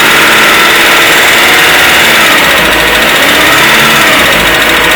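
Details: 2010 Citroën C3, warm at idle, with engine noise and high consumption: busy metallic tapping about four a second; oil pressure measured low; knock from low oil pressure.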